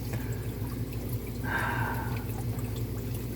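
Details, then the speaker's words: Newly wired and filled hot tub on first test run, water at 48–49 degrees and heating: even low pump motor hum with water trickling and no grinding or rattling; circulation pump running normally. "you hear that little hum in there yeah that's a real good thing happening here see we've got water circulating and filtering and cleaning up"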